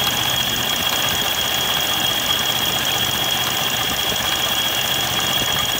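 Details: Kymco Many 100/110 scooter at steady speed: a thin, constant high squeal over the quiet engine comes from dry slider rails in the rear pulley of the CVT transmission.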